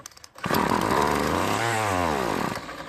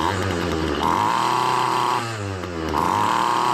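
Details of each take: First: Poulan Pro trimmer, previously serviced with new diaphragm and fuel lines but won't start: on starting fluid it fires, revs briefly with a buzzing rise and fall, then fades after two seconds; fuel delivery/carburetor suspected. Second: Poulan Pro two-stroke trimmer after fixing a carburetor diaphragm gasket installed on the wrong side by a previous repairer, fuel priming and returning properly: revs cleanly to a high steady scream and drops back to idle twice, no bogging. Normal running.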